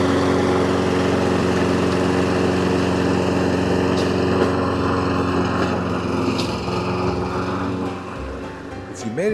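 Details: Toro self-propelled mower after front wheel drive belt replacement: steady single-cylinder drone holding one speed, no knocks, misses or belt squeal; runs evenly.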